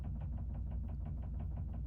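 A dull, even knocking repeats about six times a second under a low steady rumble, a dryer drum thumping as it turns. Cause suspected, not confirmed.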